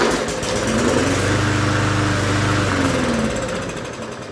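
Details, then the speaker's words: Free push mower with oil and fresh gas; the primer bulb seemed ineffective, so fuel was squirted in. It picks up and runs evenly for seconds, then slows and dies; owner guesses a dirty carburetor. Runs only on primed fuel. "squirted a little bit more gas in there see if it'll take off and stay running"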